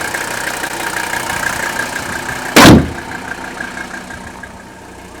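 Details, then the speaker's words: Mercedes five-cylinder diesel, 167,000 miles, mic close: quiet, even diesel clatter at steady idle, briefly covered by a handling thump; smooth-running, healthy normal idle. "so much smooth airs so much white and of course hey more powerful this is a really sweet running engine with only a hundred and sixty seven thousand miles on this season's just barely broken air"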